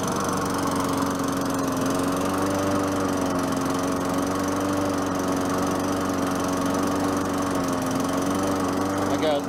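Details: 4.5 HP Tecumseh Craftsman push mower after a new air filter, low on gas. Steady, even drone holding constant speed under cutting load, no misses or surging; sounds better now, normal running.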